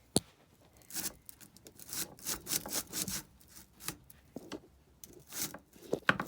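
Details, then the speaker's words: STIHL 009I chainsaw, cold outdoor weather: repeated rasping rope pulls in uneven bursts and the engine never catches. It cranks but will not start; the owner doesn't think it has spark and plans to check the carburetor next. "I don't I don't think it's a spark I checked as good as I can but I don't I don't think it's got any so I'm Gonna Keep disassembling it and I'm going to check the carburetor"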